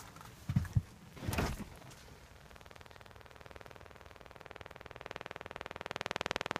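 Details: Jaguar S-Type satnav box in the boot: after a door thud, a fast steady clicking starts and grows louder, about four per second; cause unclear.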